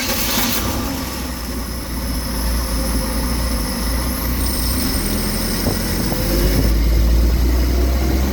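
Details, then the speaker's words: 1967 Chevy 250 inline-six after new plugs gapped at .035 and wires refitted: steady low idle with a slightly uneven beat, still shaking; running rough, timing and carburetor still to be checked. "Seems to be running a wee bit better, maybe. Still shaking a bit."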